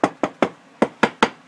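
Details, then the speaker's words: Knock test on tiles beside cracked, missing grout: seven sharp taps ringing hollow and papery instead of solid, showing the tiles are loose because there is not enough mortar underneath. "just loose everywhere so that's your tip of the day so if you ever see grow crack and just do a little knock and then that's how you can tell what the problem is"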